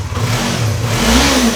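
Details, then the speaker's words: Yamaha R3 (stolen then recovered) first start after engine case cover replacement, radiator fluid topped off, old oil still in: smooth, even rev rising and falling cleanly without knocks or rattles; engine sounds healthy, normal revving. "We fix motorcycles. Oh man. Listen to that baby purr."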